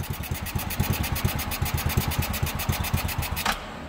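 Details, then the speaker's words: Chinese 110cc quad, first start after fitting the carburetor: small single putters at quick slightly uneven beat about seven pops a second then cuts out, a little smoky; unadjusted carburetor, rough idle. "a little smoky and I got to adjust the carburetor on this one too I just haven't got that far yet"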